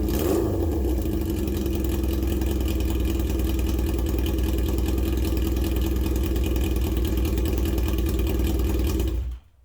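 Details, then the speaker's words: Yamaha XJ650, about 40 years old, back after 8 years off the road: exhaust run without its baffle for comparison, a deep loud throaty drone at steady revs then cut off, far too loud for road use. A baffle, then a wrap, was being tried to quiet it. "so just for the sake of a real comparison here it is unbaffled again back to the throaty goodness"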